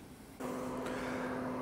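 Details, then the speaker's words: Traeger Scout pellet grill after replacing the Pro Digital Controller and RTD, first two minutes on smoke setting with lid open: steady low fan hum, auger turning fine, no ticking or rubbing from wires near the fan; normal operation. "listening to the auger it sounds like it's turning just fine so so far so good"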